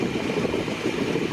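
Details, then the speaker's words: 1959 Dodge Custom Royal Lancer after a carb tune-up, mixture screws leaned and balanced side to side for the highest smooth idle: even, steady idle with a low burble and no misses, stumbles or hunting. Runs clean. "to the point where you've got the mixture screws turned in, like turn the fuel off as much as you can to where it's just idling nice and crisp and happy, and you kind of get the highest idle that you can out of it as well."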